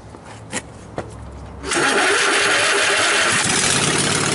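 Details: Riding mower after bypassing and rewiring the safety switches and installing a push-start button, blade clutch not yet hooked up: a couple of clicks, then it catches at once into a loud, steady, even run with no stumbling, a normal start and idle.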